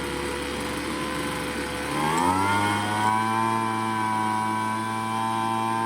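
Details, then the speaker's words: Craftsman two-stroke leaf blower, long-stored non-starter, during carburetor tuning: rough, low buzz climbs to higher, cleaner idle as low-speed mixture screw is backed out from near-stall, then high-speed screw set for max RPM. "Well, I hope you could hear the difference as I turn that low end to get it to idle, and then on that high end as well."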